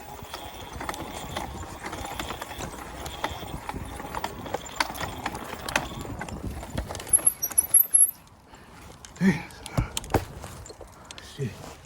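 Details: Amazon e-bike after trail riding: repeating clop-like knocks in a loose rhythm while riding, fading as it slows; rhythmic mechanical knocking, cause unknown.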